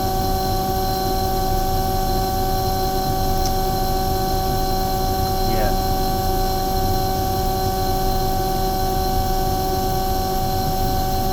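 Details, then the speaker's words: Omni/EconoHeat/Morrheat waste oil heater burner after cleaning and nozzle service, oil-clogged beforehand; steady even roar with low constant hum, no surging, popping or sputter, setting about 12.5, smoke clearing, not blowing out; firing cleanly, running well. "that's actually really good it's actually running beautiful there it's just oh about 12 and 1/2 that smoke is clearing now notice it's not blowing out everywhere"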